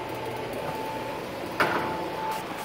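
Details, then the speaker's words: Indoor air handler of a manufactured home with a 2.5-ton Goodman GSZ13 heat pump in heating mode, blowing hot air: steady airy rush with a faint constant tone and one brief knock; noise is by design: normal air handler blower noise. "yeah that's blowing out some nice hot hair and I'm sure you can hear that in Boise and our therm in the background"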